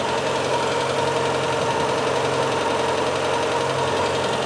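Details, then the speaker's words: Peugeot 205 Turbo 8 after fuel buffer tank return fix, idling warm after about 5 minutes: steady even idle, smooth low hum, no hunting; no more overflow, regulation working well. "Voilà, ça tourne depuis bien 5 minutes là. Le moteur commence à chauffer et plus aucun problème. Ça déborde plus du tout. La régulation semble fonctionner à merveille."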